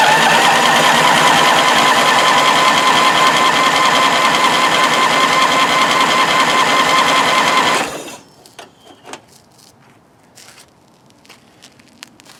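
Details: 1993 Craftsman LT4000 lawn tractor, first start in 4 years on 90-octane rec fuel after last running out of gas: the starter churns slowly and evenly for about eight seconds, never firing. Slow crank, no start; the owner believes it is flooding with a washed cylinder.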